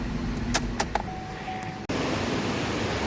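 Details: Chevy Equinox after repair of a no-crank no-start from a fried ECM/PCM: steady smooth idle hum with a few light clicks, even idle with no misfire or knock.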